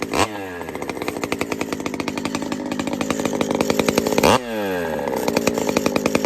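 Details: Pioneer P-41 chainsaw with big bore kit (called P-74), first run after repair with JB Weld: crisp two-stroke buzz rising and falling cleanly with each throttle blip, no bogging. Running healthy, though a little rich, with a burning plastic smell.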